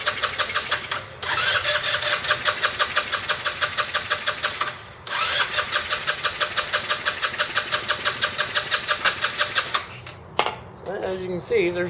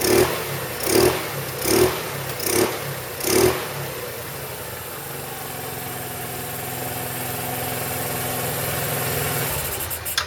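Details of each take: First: 2008 Roketa Sicily 150 scooter: fast, even starter cranking in long bursts while carb cleaner is sprayed into the intake, never catches; owner suspects a spark plug or stretched-wire spark issue rather than the carburetor. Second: 2008 Roketa Sicily 150 scooter after repair: five quick throttle blips, each rising and falling cleanly, then a smooth steady idle with no stumbling; running beautifully before reassembly.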